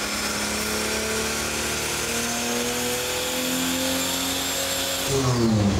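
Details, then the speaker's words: 1964 Ford flatbed with turbocharged Ford 300 inline-six on a chassis dyno, full-load pull at about 10 psi boost with lean fuel trims: strong even rising roar, no knock or misfire; healthy. "but when that thing start boosting you're just oh yeah the same thing on the engine dyno yeah it just takes right off it sounds like it's getting ready to just like go to the moon"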